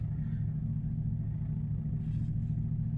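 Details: 2012 Camaro RS, stuck in anti-theft mode for months, cranks after clearing codes with a code reader and a jump: steady, even low rumble at idle with no misses, knocks or stumbles; idling smoothly.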